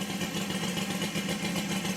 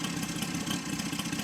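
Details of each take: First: Saito FG60 R3 radial on break-in, very rich mixture per manual: uneven burbling beat near 1100 rpm held on a crack of throttle because it won't keep idling unassisted; rich-running idle. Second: Saito FG60 R3 radial after break-in and leaning per manual: steady low-speed buzz firing evenly around 1200 rpm, no hunting, misses or surging; clean, settled normal idle.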